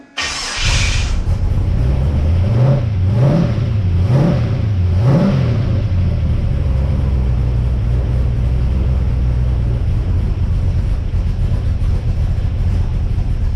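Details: Ford XG ute V8 first start after fitting CNC ported heads and VCM 13 cam, on old oil: catches quickly, three clean rev blips, settles to steady even idle, no knocks or misses; healthy.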